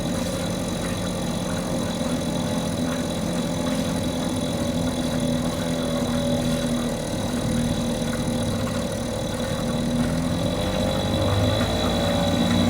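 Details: Mercury 2.5 hp two-stroke outboard that sits for long periods and wouldn't stay running, now running in a tank after carburetor troubleshooting: steady buzz with an even beat, no misses or stumbles, holding at various RPMs; normal running.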